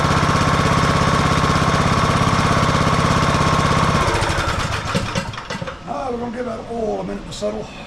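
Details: Husqvarna YTH18542 riding mower with 18.5hp Briggs & Stratton Intek single-cylinder, which had died during use and wouldn't crank: after an oil top-up, the engine fires and runs with a steady, even thump for a few seconds, then shuts down; sounds healthy.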